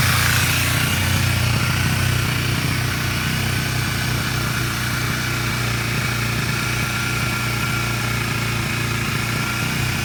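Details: 2010 Kawasaki Ninja 250R idling on full choke for 10 minutes after sitting a few days, with a steady busy rumble and a faint thin whistle, cause unidentified; it also stalls at idle and sometimes won't rev.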